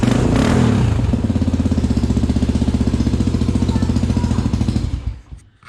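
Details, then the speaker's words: Honda XR400R, rebuilt from pieces with a cleaned carburetor and air box after a carb fuel-fill issue: a crisp, even single-cylinder thump of about four beats a second with no misses; a healthy idle. "I don't know how well you can hear me, but this sucker sounds fantastic."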